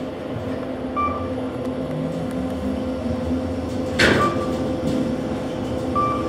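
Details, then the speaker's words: KONE EcoSpace MRL traction elevator, installed 2015, 3,500 lb capacity: smooth, even motor hum through the run with a chime and door thump; normal traction motor running, though shaft noises are noted elsewhere. "The motor sounds nice."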